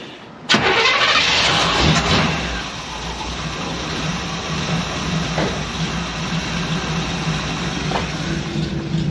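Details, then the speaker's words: Small-block Chevy shop truck V8 after basic ignition timing was reset and the distributor reinstalled at number 1 TDC, having previously failed to start. Brief crank, instant catch, steady even idle with no misses or knocks. Normal start and idle. "And that's what I was hoping to hear. It's good."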